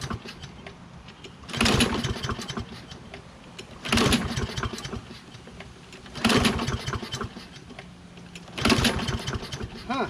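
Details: Toro Recycler mower, Kohler XT675, after magneto swap: four rope pulls, each a short rattling burst that dies; not magneto or spark plug, carburetor suspected; hard starting.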